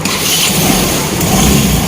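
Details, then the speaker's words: Yamaha Nuvo Elegance 135 scooter after a major service (carburetor cleaned, copper clutch, front pulley work): even steady engine note, no knocks or rattles, running very quietly and normally. "เครื่องดีเครื่องเงียบนะครับเครื่องเงียบก็วันนี้ไปเช็คใหญ่แล้วก็โอเคนะครับกับเสียงปกติเงียบมากนะครับ"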